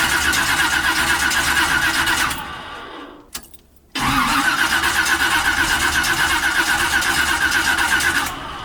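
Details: Chevy 350 V8 truck, no-start after parked 3-4 months, after replacing cracked fuel line that sucked air: starter cranks, stops, then catches and settles into even, smooth idle with no misses; healthy start.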